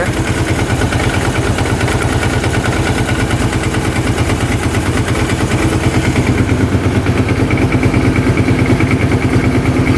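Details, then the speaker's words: 2005 Kawasaki Prairie 700 twin ATV, airbox off: strong, even low thump at idle with no misses or knocks. Normal idle, with old oil burning off the pipe and no oil from the breather. "Sounds pretty good. Burning off some old oil on the pipe, it looks like."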